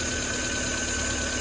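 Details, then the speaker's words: Chevy (Geo) Metro at idle, AC condenser and fan deleted: constant thin high-pitched whine well above engine note, unchanged; owner suspects AC compressor clutch, unconfirmed. "Still running good. You guys hear that high pitch? Is that"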